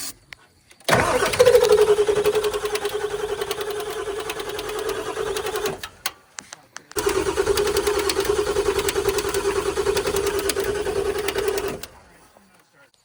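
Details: Ford Powerstroke diesel after swapping the driver's side injectors from another truck: two long cranking bursts, a steady chug about three turns per second, never firing or catching; cranks but won't start.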